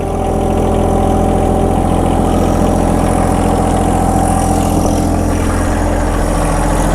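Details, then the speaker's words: John Deere 1023e sub-compact diesel tractor that stalls in cold weather, idling after sputtering at first start from air in the fuel lines; steady, even low clatter with no surging or dying, sounds healthy. "It sputtered when we first started it up. That's because I had air in the lines, of course. Sounds good."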